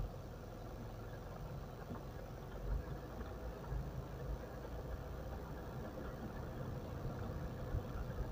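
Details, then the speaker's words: Mitsubishi Pajero that screeched when braking (thin brake pads, possibly hardened backing) after new pads were fitted. Slow driving and reversing gives only low road rumble with no squeal. Quiet brakes after repair. "sekarang nggak bunyi udah nggak bunyi teman-teman mundur sip mobil mahal enak bunyinya udah hilang"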